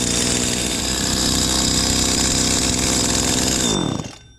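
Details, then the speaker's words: Stihl FS85 trimmer after repair: return and main fuel lines had been reversed, causing it to die right after starting; started on choke, now a high, steady two-stroke buzz that holds, then cuts off cleanly; running properly. "look at that only thing was wrong with these lines was reverse"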